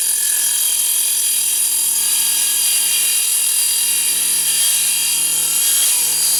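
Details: Mini table saw set to highest 24 V rating (about 3,000 RPM) ripping a 1x3 pine board: high even cutting hiss holding pitch throughout, motor not slowing; enough power, cuts healthily.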